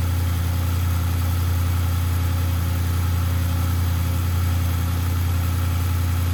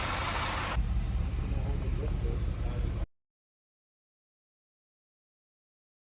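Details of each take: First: Audi RS6 C7 twin-turbo V8, first start at idle after engine removal, teardown and repair for misfire and rattle (fault found behind timing cover): deep, steady, even idle with no stumbles or skips; runs cleanly, normal idle, misfire gone. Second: Audi RS6 C7 twin-turbo V8 at rough idle: light irregular rattle over low rumble with misfire codes, incorrect correlation and inconsistent compression; suspected broken timing chain guide on bank 2, leading to engine removal and teardown.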